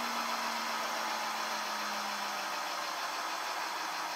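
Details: Rolls-Royce Dart turboprop (about 1,800 shaft hp) dry-motored on a 24 V, 500 A starter supply after an oil splash: steady whirring spin with a low hum easing lower in pitch, no knocks or scraping; normal free turning.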